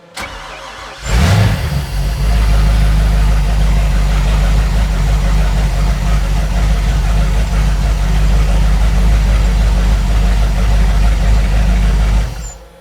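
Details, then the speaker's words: 1995 Fountain 24CS boat, Mercruiser 502 EFI V8 on hose earmuffs, cold start before an oil change: quick crank, clean catch, then a deep, steady burble that holds even while warming, with water flowing from the exhaust. A normal cold start and idle. "You can see the water is coming out of the exhaust, so we got water flow. Well, just warming up the oil."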